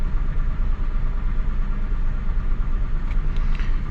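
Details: Mazda Bravo B4000 ute after idle control valve replacement, engine still cold: steady slightly raised idle nearing 1,000 rpm with a firm even beat and no stumbling; normal cold fast idle.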